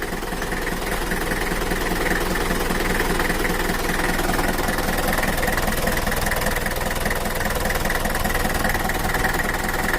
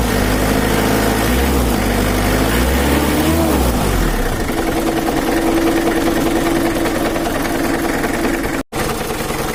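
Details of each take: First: Mitsubishi Kuda diesel (4D56) after repair of a rough, limping idle, low power and an oil leak, set back to standard: steady idle with an even, regular clatter of about two and a half beats a second, nothing rough. Normal idle. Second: Mitsubishi Kuda 4D56 diesel idling after valve cover refit, injection pump not yet adjusted; dull knock about three a second over the clatter. Complaint was rough, limping running with low power and a bad oil leak; mechanic suspects a loose, wobbling crankshaft pulley.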